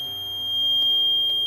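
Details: Respironics EverFlo oxygen concentrator: steady high-pitched alarm tone with short clicks, fan running but no compressor hum; the dirty compressor won't kick on, capacitor ruled out, compressor failed and being replaced.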